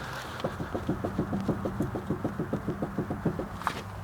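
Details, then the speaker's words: Jacked-up wheel rocked by hand at the three and nine o'clock positions: quick clunks, about three a second, from a ton of play; worn tie rod. "and as you can see there's a ton of play that should be steady"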